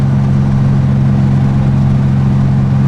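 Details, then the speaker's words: VW Beetle air-cooled 30 hp engine on test drive after new distributor cap, rotor and carburetor, valves checked fine: steady even low drone, no skips or stumbles; doesn't miss a beat, running healthy. "Sounds good. Doesn't miss a beat. The old cap and rotor was pretty worn, so that probably plays a big part how it's running now, and of course the new carburetor and all that."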